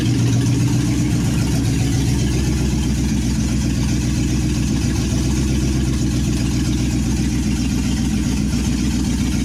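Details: 1963 Chevy C10 with a 355ci small-block V8 (350 bored .030 over) and Turbo 350 on its second firing after sitting for years: loud, even open-header rumble with a steady lopey beat, no knocks or misses. Normal idle.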